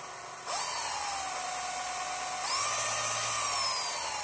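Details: New MY1018 motor bearing packed full of grease: high, clean whistle that swoops up as the motor spins up, with no grinding or rumble underneath; healthy motor with smooth bearings.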